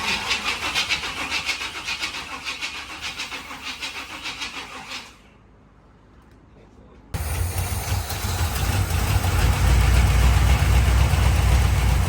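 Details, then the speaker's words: Newly bought C4 Corvette V8 with throttle held: catches with uneven lumpy pulse, dies, restarts louder and shaky, missing and popping; carburetor suspected to need work, not confirmed. ">> she was popping back there. >> Well, it needs a little work. That carburetor,"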